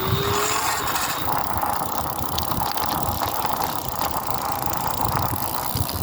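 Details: BeeCool hub motor: rough, gritty grinding runs steadily under the wheel's whirr with no clear rhythm; grinding inside the hub motor, cause unknown.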